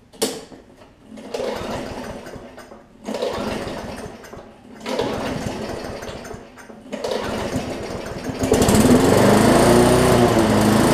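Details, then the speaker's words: Bolens push mower with a Briggs & Stratton engine, lots of water found in the fuel. It bursts into life for a second or two and dies three times, then catches and runs steady. Rough running from water-contaminated fuel; diluting with fresh gas or removing the tank is considered. "well we know that one run like I said I think there's just a little bit of water on the tank which I can probably dilute some with some gas"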